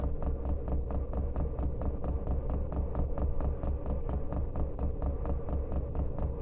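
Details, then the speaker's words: Diesel heater fitted in a house window frame, running on rice bran oil thinned with acetone nail polish remover, during the priming cycle; crisp even dosing pump ticks about 1.5 per second over a low hum; normal priming. "we're now on that priming cycle fuel's going to get sucked up and we'll be ready to burn in a few minutes"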